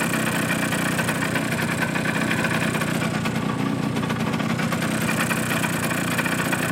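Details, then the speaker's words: Suzuki GP100 two-stroke on a test rig, fully hot after running 100 ml of fuel: a fast dry rattling knock on every firing stroke at idle. It is piston slap from clearances growing when hot; a rebore and new piston are planned. "we can hear this quite a lot of Pistons in skirts slap on there"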